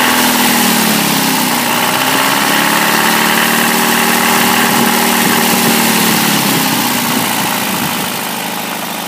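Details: 1989 Toyota pickup petrol engine idling: hollow, regular knock under a hissy, thin running sound; rod knock from bad bearings, engine later replaced.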